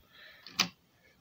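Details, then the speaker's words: Toshiba PC-G10 cassette deck: two sharp clicks about 0.85 s apart with near silence from the transport; capstan flywheel belt found not riding properly, slipping, belts replaced. "i think he's making this more belt so i shall have to investigate a bit fully"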